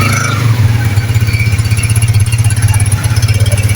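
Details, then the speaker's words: Honda 125 single-cylinder motorcycle, just after head and cylinder reassembly and vacuum pipe refit: low, even thumping idle with a steady beat and no ticking or knocking; sounds like a new bike, healthy. "गाड़ी ने new गाड़ी की तरह sound दिया है, जैसे कोई kilometre गाड़ी का साउंड होता है।"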